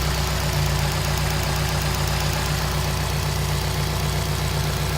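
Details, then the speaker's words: 2005 Subaru Impreza WRX STI, about 45,000 miles, modified, idling: steady even low burble with no knocks or puffing; no signs of cracked pistons, blow-by or smoke. "Just to show you, there's no cracked pistons, blow by, any of that stuff."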